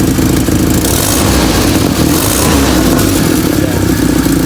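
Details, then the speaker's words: Toyota 5K engine, ported vacuum advance restored, timing 10 degrees BTDC, carburetor tuned: loud, raspy exhaust roar through revs while the engine pulls evenly; the noise is the header pipes, not the motor; normal running. "Yung ingay na kakaibang tunog sa tambutso na mga kapatid, hindi na sa makina. Dito kasi okay na oh. Hindi siya napupulunan talagang."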